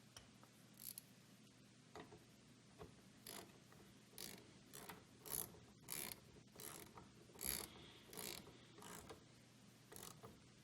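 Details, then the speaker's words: Self-propelled push lawn mower after replacing wobbly wheel bearings: quiet, uneven ratcheting clicks about one or two a second while rolling, just the self-propelled drive unit turning; normal drive gear noise. "oh and that noise that's it's self-repelled so it's just turning the drive unit"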